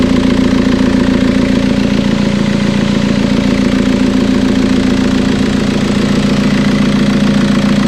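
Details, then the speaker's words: TDI diesel swapped into Toyota Tacoma, first start after engine and wiring work, no coolant in it: even steady diesel clatter at idle with firm regular beat, no misses or odd knocks; sounds healthy. "so so so excited everything sounds really healthy i'm not trying to run it too long right now especially because there's no coolant in it"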